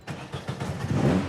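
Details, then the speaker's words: 1969 Dodge Charger stock factory V8, previously turned over but would not fire, first start after engine rebuild: quick crank catches within a second into a clean, building idle without misfire; normal start. "Woo! There she goes! Yes! That sounds great."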